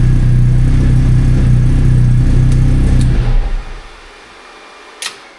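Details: Freshly rebuilt Classic Mini race engine, final drive changed from 3.7 to 3.1, before its first test session; crisp even note runs strong about three seconds then shuts down cleanly; healthy, no knocks.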